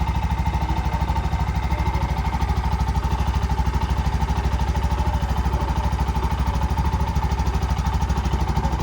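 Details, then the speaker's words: Bajaj BS6 single-cylinder bike after rebuild with new shaft, bore, head, oil seal and gasket: steady idle a little over two beats per second, even and smooth with no knocking or tapping; normal idle. "ಯಾವುದೇ ರೀತಿ ಏನೂ noise ಇಲ್ಲ. ಏನು noise ಬರುತ್ತೆ ಎಲ್ಲ ಹೊಸದಾಕಿದ್ರೆ ಯಾವುದೇ ರೀತಿ ಏನೂ ನಾಯ್ಸ್ ಬರೋಲ್ಲ."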